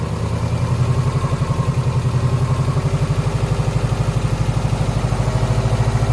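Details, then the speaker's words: 2009 Subaru Forester X, naturally aspirated EJ253 with remanufactured heads, third start after the intake hoses were fixed. A rough, lumpy idle with one cylinder dropping out, no smoke. The owner suspects a cylinder 2 misfire from a cracked head or water in the block. Engine misfire at idle. "I mean, we definitely still have a miss, but it's not smoking."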